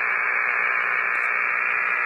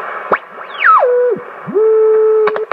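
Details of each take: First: Hammarlund HQ-170-A receiver on an outside antenna: loud, steady rushing hiss with no signal, precipitation static, before the noise blanker is switched on. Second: Hammarlund HQ-170A receiver during alignment, on the control check with calibrate switch: clean steady tone settling to one pitch as the receiver tunes, with a few clicks between; calibrator signal comes through fine.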